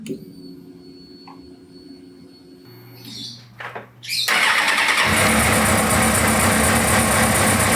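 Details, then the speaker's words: 2000 Suzuki GSX-R750 that would crank and sputter but not start, after replacing the fuel pressure regulator (300 kPa, 43 psi): quiet handling, starter catches and engine settles into an even, steady idle with no stumbling; normal start and idle, fixed. "well there we go 200000 GSXR750 fuel pressure regulator that's what it was and work great now"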